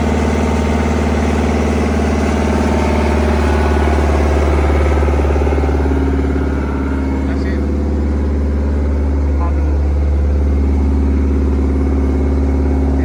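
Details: CAT 307SSR mini excavator with Mitsubishi diesel, just after the fuel injection pump was installed to fix a no-start: loud, steady low rumble at constant idle with no stumbling or knocking; runs evenly and normally.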